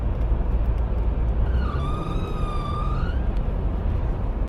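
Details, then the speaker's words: Subaru CVT at steady highway speed, 55–60 mph: RPM suddenly flares as a loud high squeal rises and holds under two seconds over road rumble, suspected drive chain slipping on the variators, not confirmed. "the main symptom you'll have is driving down the road normally at a consistent speed highway speed 55 60 MPH and every once in a while you'll see your RPM shoot up and you'll hear a loud squealing"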